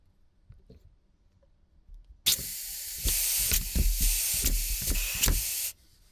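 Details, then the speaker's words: Scratch-built Wig Wag oscillating steam engine on compressed air, earlier recording: uneven sharp puffs about four a second, sputtering then stalling; struggles, apparently because skewed pivot makes cylinder bind, wear marks on one corner. "So, that's where it's running the most uh because it looks like the pivot point is a little bit skewed, so it's running primarily on this corner here and there."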